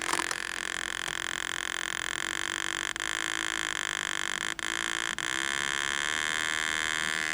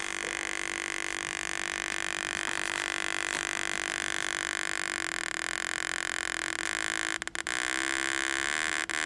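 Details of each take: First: Vertical deflection of a 1949 Packard Bell 12-inch TV, speaker hooked to the low-impedance secondary of the vertical output; steady buzzy tone with overtones and brief dropouts from a crusty pot, vertical stage working normally. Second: 1949 Packard Bell 12-inch barn-find TV, speaker hooked to the secondary of the vertical output: a steady buzzing tone cuts out in short gaps as the control is turned, showing crusty, dirty pots; the vertical is working.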